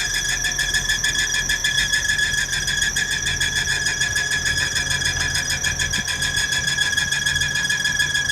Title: 2018/2/23/エンジンの異音